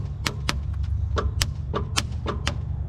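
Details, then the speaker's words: 1963 Ford Galaxie that would not start: steady low starter whir with sharp irregular clicks, the starter audibly spinning and its gear moving, but the engine never turns over or catches. "starter doesn't work either but I can hear the starter making noise now"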